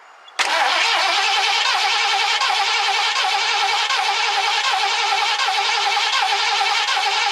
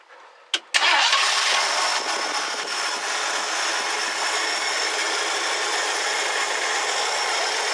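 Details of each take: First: 1969 Ford Club Wagon with the engine fuel line disconnected to test fuel pumping: steady starter whir with even cranking and no firing; cranks but won't start. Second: 1969 Ford Club Wagon barn find, fed from a gas can on a temporary fuel line: brief starter whirr, then it catches and settles into a steady, even hum with no misses; starts and idles normally.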